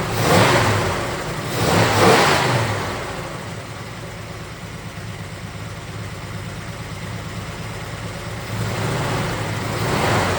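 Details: 1969 Chevelle SS big block, sat 37 years, running rough: two throttle blips over a lumpy idle that keeps stumbling as revs climb, a persistent miss. Exhaust temps show cylinder 3 coolest (about 350°). Cause unconfirmed; owner plans to swap a plug wire first.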